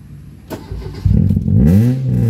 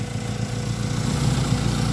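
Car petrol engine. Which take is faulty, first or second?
first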